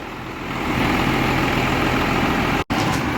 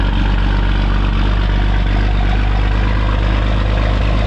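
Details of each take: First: 12-valve diesel hotshot truck idling in the shop after a smoky morning start; the truck leaks a lot of oil. Steady, even, regular clatter with no misses or knocks, called a perfect idle. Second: Brother's 12-valve diesel truck, which leaks oil badly, known not to idle. A steady deep rumble sags and dies out after about fourteen seconds; it won't hold idle.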